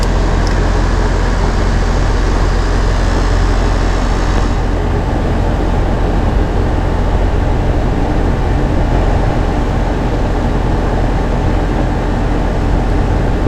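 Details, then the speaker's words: About 2-year-old AC condenser after new capacitor, previously thought to need hard start kit: steady low hum, even fan rush, no labouring; compressor running at about 16.2 A versus 25 A rated, normal. "right so running amps right now we're getting about 16.2 and then on the manufactured tag it says the compressor the top amperage during run time is 25 so we're in a good range that's good"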